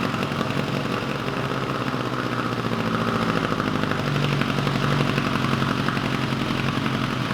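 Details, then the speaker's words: 1986 Kawasaki GPZ1000RX after carb rebuild and cooling-system work with new hose clamps, run a long while, temperature gauge about halfway: steady, even idle with smooth low hum, no hunting; normal warm idle awaiting fan. "i let it run for a good long while and the temperature gauge is reading about halfway so this fan should be kicking on any minute"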